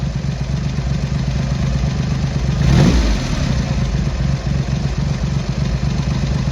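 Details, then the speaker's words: Triumph Hurricane X75 triple with rebuilt carbs, pilot screws richened slightly and left-hand carb adjustment corrected, not fully warm: steady, even low idle with one quick blip dropping cleanly back; normal idle. "That's better. So we're getting there. Without a road test, we're not going to be able to do much more, to be honest."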